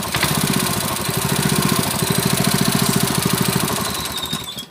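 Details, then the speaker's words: Honda GX160 5.5 hp water-pump engine, unused a year, after cleaning its black fouled spark plug; quick, even put-put running at steady speed, no misses or surging, governor working, then winds down; runs better. "So the stationary position is like this. It feels better"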